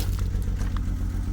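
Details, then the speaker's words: Salvage-auction 2007 BMW X3 sold as a non-runner, running on its own power with many dash lights on: idle thumps along unevenly, dropping pulses every few beats. Big misfire, cause unknown; the alternator is charging. "There's a huge misfire. But the alternator is charging. It is revving up."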